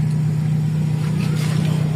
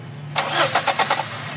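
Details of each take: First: Toyota 4A-FE engine with rough idle, low power, unstable rpm and low fuel pressure complaints; cold start fast idle holds as an even, steady raised drone without stumbling or hunting. Normal cold start fast idle. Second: GLI with 4A-FE engine that suddenly died after a test drive: starter whirs with quick cranking pulses but the engine never catches; no fuel pressure, fuel pump has stopped.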